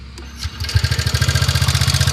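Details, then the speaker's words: TVS Ntorq 125 scooter, about a month unserviced, before repair: starter whirr, then the engine catches into a fast, pulsing idle with a tappy metallic edge. Abnormal engine noise, cause not stated. "এইটো exact এণ্টকৰ main problem এইটোৱে আপোনাৰ শুনিব দেই same problem এনেকুৱা বিশেষকৈ problem এইটোৱে"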